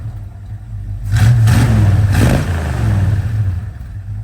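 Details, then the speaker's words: 1968 Dodge Dart 270 sedan, 360 V8 with 727 automatic, single point distributor: after idle mixture and speed adjustment, deep V8 burble blips up and settles cleanly, no stumble or hesitation; throttle fixed, runs awesome, normal revving. "yeah so it runs awesome throttle's fixed"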